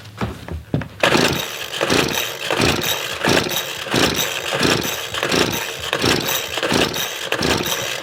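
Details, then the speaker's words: $10 Craftsman leaf blower that stopped after reportedly getting the wrong fuel, air cleaner missing, spark and fuel confirmed: repeated pull-cord strokes about 1.5 per second with raspy whirring, never firing; cranks but won't start, and the owner suspects low compression. "alright guys so I know I have spark and I know I have fuel inside the tank the only other thing that it could be is compression"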